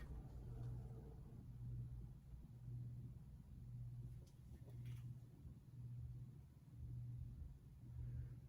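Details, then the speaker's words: 52-inch five-blade Evergo 5E-5LW ceiling fan on low speed gives a steady 60-cycle electrical hum swelling about once a second. The hum is likely due to the motor design. "there is that 60 cycle hum."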